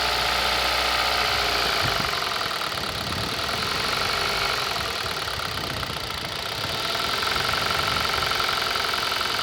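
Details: 2018 Kia Rio at idle; steady idle with a hard, rapid metallic tapping about four times per second riding over the engine; internal engine knock of unknown cause.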